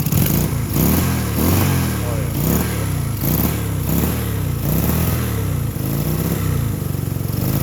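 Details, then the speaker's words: 1965 Honda CB160 twin, 1070 miles, about 30+ years sitting, carbs cleaned, new points/condenser, little choke: loose, lumpy idle swelling and sagging every two-thirds second, popping; unsteady idle. "so she doesn't run perfect but she runs you can hear kind of popping and farting a little bit come on stay running"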